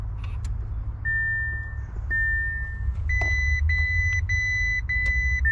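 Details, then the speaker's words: 2019 Audi RS3, badly damaged, ECU taken from car needs programming; pressing start gives only a long chime then evenly spaced short beeps, no cranking; unprogrammed ECU blocks starting. "the only other reason why this car won't start right now or won't crank is because the ECU needs programming"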